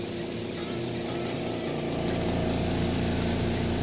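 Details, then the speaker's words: Zeny washing machine spinning a bedsheet load: brief knock while unbalanced, then steady even whir and low hum with no knocking once balanced, as it should sound. "the bedsheet you heard that lucky knock real quick but it's popped so that's the way it should sound"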